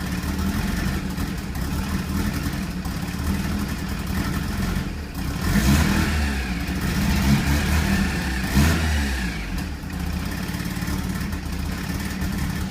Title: RX7 FC3S rough idle, fuel cut. timing cut, limp mode